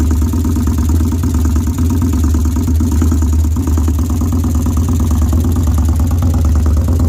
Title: 2013 victory highball engine knock.